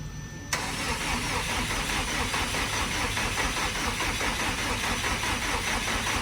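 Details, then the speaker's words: Car first start after sitting over a year, wheels off ground: starter spins the engine at an even cranking rhythm with no firing; no fuel delivery because fuel pump feed and return lines on the hanger were swapped; engine not seized. "over that's here i don't know if no nothing no fuel to the motor so that means i have the other lines backwards damn it"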